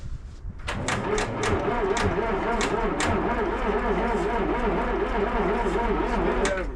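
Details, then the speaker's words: 1959 ex-military International dozer, sat months at scrap yard, fresh batteries fitted: slow, labored cranking at about three and a half turns a second with a wavering groan; starter turns engine over weakly. "Well, there's for your starter engage."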